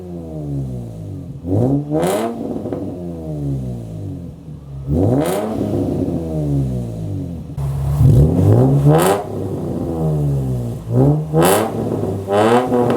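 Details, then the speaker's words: Nissan 350Z first start after fitting a Kinetix intake manifold, listening for leaks: repeated throttle blips with a slightly lumpy, unsettled idle between them, no knocks or leaks heard; idle a little odd but seemingly okay before test drive. "It sounds different. All right, so far it seems like everything is okay. It was idling a little odd, but now's like the time for the actual test drive."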